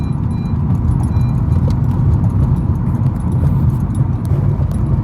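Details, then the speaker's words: 2013 Honda Accord Coupe: a low, rough rhythmic grinding with faint clicks as the car slows, occurring when braking or with the emergency brake applied and stopping off the brakes. It happens intermittently. "2013 Honda Accord Coupe it makes this grinding noise time to time right now it's making it when I hit the brakes stops when I get off the brakes"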